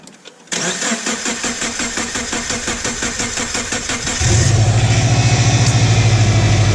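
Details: 2006 Subaru Forester 2.5 after replacing all four coil packs and spark plugs. About four seconds of steady rhythmic cranking before it catches and settles into an even idle: hard start, long crank.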